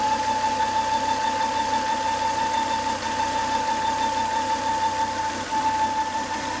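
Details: Volvo S80 2.5T at a quiet even idle with a steady high whine that holds its pitch; high intake vacuum pulled air through the open oil cap, noise after 10–20 minutes, solved by replacing the failed crankcase breather box/filter.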